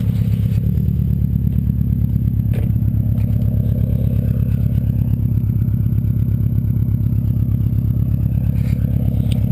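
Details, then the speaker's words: 2002 Subaru WRX wagon, 2.0 L turbo flat-four with stage 2 tune (about 275 hp), loud exhaust without silencer; steady, deep burbling idle with even low pulses and no knocks or rattles, healthy. "So I'll just start it up now. Doesn't sound too bad. Let's go step outside."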